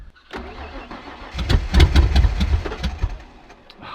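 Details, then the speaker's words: 302 V8 Ford Fairlane with straight-out extractors, in a paddock: the starter churns the engine in uneven bursts for about two seconds but it never fires; owners suspect it is not getting any fuel. "not getting any fuel that's alright i don't think it's going to fire she's dead"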